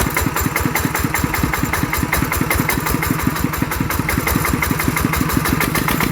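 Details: ET110 single-cylinder diesel after rebuild for an abnormal knocking noise, steady even beat at fast idle, firing regularly with no knock or clatter; judged good, normal running.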